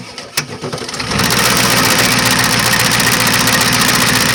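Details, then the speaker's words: Yard wrecker, just started, on jack stands with a jack under the transmission: engine catches and settles into a steady knock about three or four per second over idle; a new, louder knock, sounds like something trying to fall off, cause unknown. "Sure sounds like something's trying to fall off or something. Because that louder knock that you hear, that's new. It doesn't sound good."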